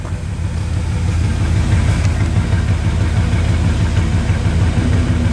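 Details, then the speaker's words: Ford wrecker truck after HEI ignition retrofit with Chevy parts and timing set: low, even idle thump about three beats a second, much quieter than before, no misses or ticks; normal idle. "God Almighty boys and girls that sounds a whole lot better you can't even hear this thing run now it made that big a difference in"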